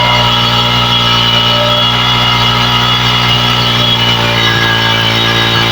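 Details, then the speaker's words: Honda Megapro Primus single-cylinder bike after a carburetor service for severe stuttering: the engine holds a steady, even note and revs cleanly from low to high rpm. It is now smooth and stable, with no more stuttering. "Oke sudah lebih stabil ini kayaknya ya E putaran mesinnya dari bawah sampai ke atas sudah lebih baik"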